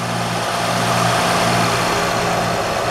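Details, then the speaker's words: 2007 Honda Odyssey after replacing the serpentine belt tensioner assembly (bad pulley) and the bad crank pulley/harmonic balancer. It now has a smooth, even idle with no chirp; the earlier belt chirp is gone. "so I'm going to tighten everything up and then fire it up and see if it's all good ah much better no more chirpy chirp"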